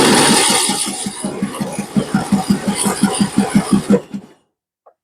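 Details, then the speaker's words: Free Troy-Bilt Pony riding mower, unknown history, first crank on old gas that smells bad: starter churns steadily about three compression pulses a second for four seconds, never fires; owner suspects stale gas; crank no start. "okay there you have it she fire she uh she cranks over anyway uh gas is not smelling the greatest"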